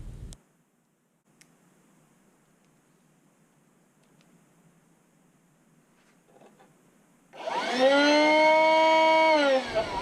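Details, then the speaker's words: DeWalt DC500 wet/dry vac motor powered directly from fused 12-volt supply, bypassing electronics: starts and holds a clean steady whine about three seconds, then winds down; motor and main supply healthy. "That's the ticket. Sounds super healthy to me. So now we know the motor and the main power supply are good."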